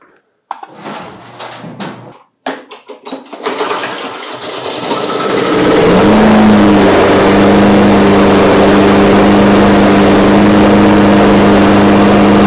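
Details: eXmark Commercial 21-inch mower after fixing its no-spark problem and cleaning the carburetor: cranks, catches briefly, then settles into a steady, even drone that warms up smoothly and holds speed; normal running.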